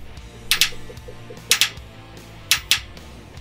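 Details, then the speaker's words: 2011 Isuzu NQR with a DEF failure, heard under the passenger side at the DEF dosing injector while it is actuated from a scan tool: crisp double clicks about once a second; it works electrically, though a mechanical blockage is still possible. "right so our injector is pulsing but now it's important to note that we're just checking the electrical part of this"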